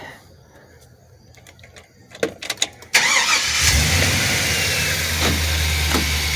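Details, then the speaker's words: 2005 Chevy 2500 van with 6.0 V8, previously misfiring and idling rough: starts and settles into an even, gentle idle after a filter is placed over the main intake breather near the MAP sensor. "Look, nice and gentle. Way better than it's been for months."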